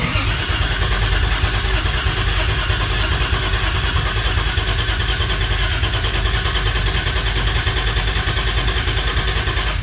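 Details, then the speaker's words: 2JZ-converted Toyota Cressida MX83 with Haltech ECU, before first start: new starter and Optima battery giving strong, even cranking at about three beats a second for ten seconds, 50 psi oil pressure; normal cranking. "this is that brand new starter with the Optima battery getting cranks just make sure"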